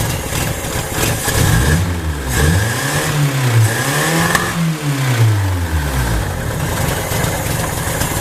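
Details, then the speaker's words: Junkyard 1980 Honda Accord with newly fitted Weber 32/36 electric-choke carburetor, not yet dialed in, cold start, reluctant to idle: engine revs unevenly with wavering, stumbling beat, as if a couple of cylinders are dropping out; cause unconfirmed. "Start it up again here. Sounds like it's just terribly messing with a couple cylinders."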